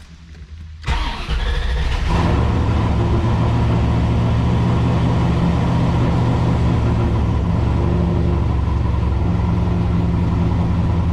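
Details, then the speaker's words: C4 Corvette on Holley Terminator X, cold start: short crank, catches with a flare, then settles into an uneven lumpy run; terrible cold start fixed by redoing ground wires and replacing a faulty O2 sensor. "I'm sure you heard it started, fired, it was okay, and then it turned into a piece of shit."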